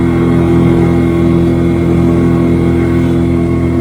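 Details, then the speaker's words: 6.5 hp outboard at full throttle against the wind, about 10-11 mph by phone GPS, after gas tank air vent fix cured stalling; steady even drone with no surging or dropouts. "Well, I think that's pretty good. We got about 10 miles an hour out of her."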